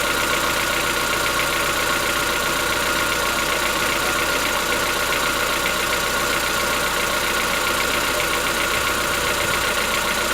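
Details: Chevrolet Onix 1.4 petrol, 2014-15, cold-start idle: fast, even ticking over a steady idle with a thin high whine. Present since new, lasts about 10 minutes. Owner suspects a tappet knock inside the engine, not injectors; dealers say it is normal.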